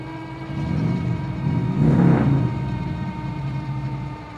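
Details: KBO Breeze e-bike hub motor, throttle only climbing a steep hill around 12 mph, motor likely warm: steady high whine holding pitch as it pulls hard, wind gust midway; motor whining under load.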